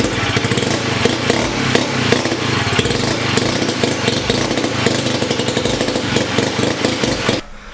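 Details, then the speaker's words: 1975 Hercules W2000 KC27 294cc rebuilt rotary, 5-speed, ~30 bhp; very smoky, owners think it probably needs a little more fuel. Crisp raspy note revving freely and steadily, then cutting cleanly, no misfires; normal running. "oh yeah okay that's that's all we needed to see this thing runs good we are ready"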